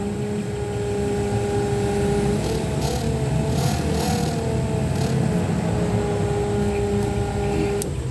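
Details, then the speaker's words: RVGUARD macerator pump on 12 V cigarette lighter power pumping a Class C RV black tank, outdoors with road noise: even mid-pitched motor whine holding steady; pumping normally. "You can hear the motor. The motor gets a little louder if the water is not going through it consistently."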